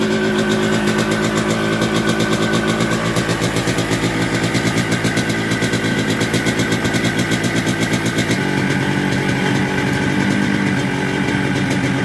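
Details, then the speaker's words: Yamaha RX-King two-stroke with a new block and con rod and a 125Z head, rebuilt because the engine sounded very rough, with the magneto area ground so it no longer rubs: crisp, even crackle at steady revs with no knock or rattle. The rebuilt engine sounds healthy. "nah ini bunyi bagus"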